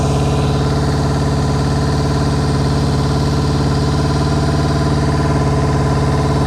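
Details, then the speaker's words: 1999 Kawasaki ZRX1100, revived after twelve years sitting, airbox removed: deep uneven idle with a stumbling pulse; one of four cylinders not firing, number 4 cylinder cold, cause not yet found. "All right, this number 4 cylinder is cold. So let's look into that and find out what's going on with it."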